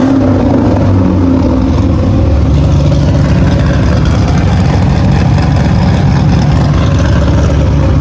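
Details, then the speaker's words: Cadillac CTS-V drift car V8 after fixing a poor exhaust system, now exiting out the back: deep, steady burble, low throbbing rumble, no rasp or ticking; healthy, much quieter inside the cabin. "Whoa. Sounds good. It sounds the same, just out the back."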